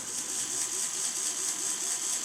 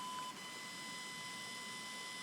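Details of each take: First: Small fischertechnik robot-arm motor on diagnostics test at speed 3: steady high-pitched whir with strong even tone, not easily slowed by a finger, unlike its weak counterpart; runs healthily. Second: Fischertechnik pneumatic hand motor set to speed 3 from the diagnostics interface: a steady, thin high-pitched whine with no change in speed; the motor is energized at low drive but stalled and not turning.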